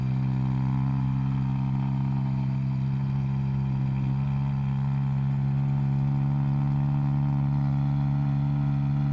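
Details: 1971 Vauxhall Firenza SL 2000, LHD Canadian import, owners believe displacement is now above 2000cc, warming up: deep even low rumbly idle, no misses, ticks or knocks; running smoothly.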